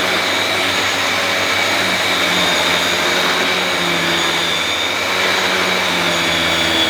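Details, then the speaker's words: Dyson DC21 Motorhead powerhead running on carpet after cleaning: steady even vacuum roar with smooth brush-roll hum, less rattly than a DC23's; powerhead runs normally. "that sounds better that power head sounds better than the DC 23 s not as ratalie"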